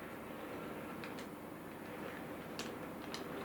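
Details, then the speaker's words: Sir Walter Scott model locomotive after replacing the split axle drive gear: very slow, quiet, even running with only faint light ticks and no clunk; drive sounds healthy. "that clunking noise it had has gone and all it was was a small split in the drive Cog"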